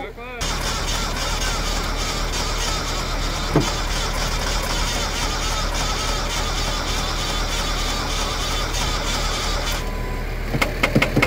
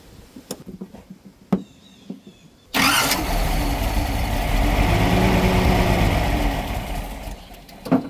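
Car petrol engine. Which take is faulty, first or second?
first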